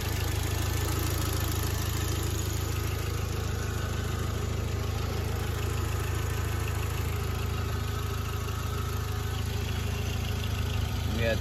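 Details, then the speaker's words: Audi A4 1.8T, 179,000 miles, idling not yet at operating temperature after coolant hose repair: fast, even light rattle about three ticks a second over steady idle; owner mentions a small exhaust leak and suspects cam chain tensioner needing tightening; unconfirmed. "it's got a little exhaust leak you can hear it's you can hear it a little bit i don't know if you guys can hear that but it's the cam chain it's probably the tensioner it might just need to get tightened"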